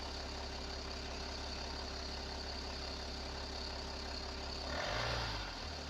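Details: BMW M57 525d 177HP diesel idling with a rough, rapid rattle under the steady low drone; suspected bad timing chain or ZF6HP transmission noise, cause not confirmed.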